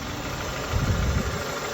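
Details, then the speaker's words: High-mileage Honda idling after throttle body cleaning to cure rough idle and lagging acceleration: steady low rumble, even beat, brief swell; sounds much better though still in limp mode for an unknown reason. "got to figure out why thing's in lint mode it sounds a lot better"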